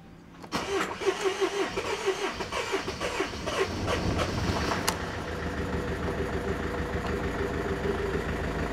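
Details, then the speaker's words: Mercedes Vito 2.1 CDI diesel, airbox off, first start after replacing all four injector copper seals: short crank, quick catch, then a steady, even idle with no chuffing or ticking and no leaks. Normal diesel idle after repair. "Now, unless I've done something really wrong, which I doubt it, it should sound a lot quieter. Oh yeah, definitely no chuffing. We're happy with that."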